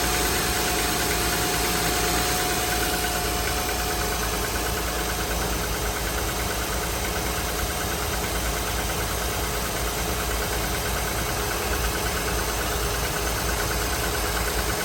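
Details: 2007 Honda Pilot, 149k miles, timing belt and serpentine belt replaced at 146k: loose uneven ticking/knocking about three per second at cold idle, only in very cold weather, gone within 10 minutes as it warms; cause unknown.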